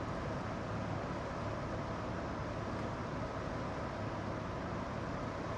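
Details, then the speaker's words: Newly installed heating unit in a library room, exposed in the wall; constant rushing roar with low hum even just ticking over, far too loud and industrial, quieter after added insulation and vent cover. "The new heating system in the library is incredibly noisy. Even when it's just ticking over, it's loud. It sounds industrial."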